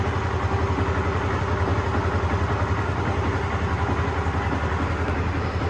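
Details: Honda CBR150R Fi (Thailand) single-cylinder idling smoothly and evenly after replacing the cam chain, chain tensioner guide and tensioner, with the original exhaust refitted; no top-end rattle or ticking and much smoother than before; normal idle.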